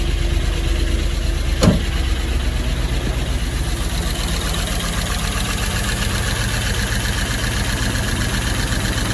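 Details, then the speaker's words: Holden Calais with L98 LS V8, first start after the engine was torn down and rebuilt with new gaskets, seals and worn parts to cure a knock: brief starter whine, then a steady, even idle that keeps getting quieter, with no ticking or knocking. "Definitely starting to uh quieten up, which is great."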